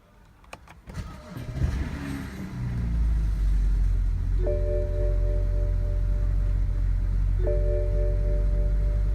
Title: BMW E60 535i cold start and rough idle